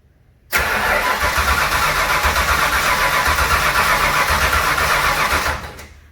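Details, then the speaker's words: Junkyard 351W turbo V8 in a 1967 Mustang, first start attempt after fuel pressure and lines checked leak-free; about five seconds of even cranking, roughly four beats a second, never catches; no start. "I'll go ahead and see if I can't trace out some more of the wiring their figure out what else I forgot to hook up"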